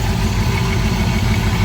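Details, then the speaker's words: Thunderbird V8 freshly rebuilt with many upgrades and all-new wiring, on its first start: a deep but uneven, lumpy idle that is rough until it warms up; a valve is still unhooked and it stalls when idle drops too low. "This is a little wonky till she warms up."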